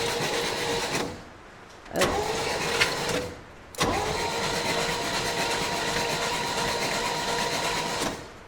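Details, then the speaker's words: 1965 Chevy rollback with rusted cylinders and a previously stuck valve, cranked after soaking: starter spins in bursts, sounding free, never catches; oil blowing out, suspected compression loss past the stuck valve. "We might still be dead in the water. I don't know. When I'm cranking this, we're getting oil coming this way."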